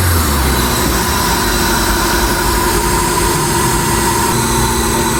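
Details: 2008 Suzuki Liana after engine replacement, cold just after start: steady even idle with flat rumble, no ticking, knocking or timing chain noise; slight noise from an uncovered part, exhaust smoking until warm; engine healthy.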